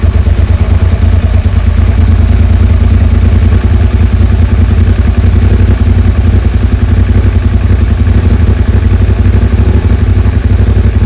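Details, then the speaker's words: Suzuki SV650S V-twin on choke after fitting two new carb washers replacing a missing and a broken one: steady, even low idle, no hunting or surging; 7,000 rpm idle fixed. "so we haven't got 7,000 RPMs anymore so now I can adjust the idle I can find it"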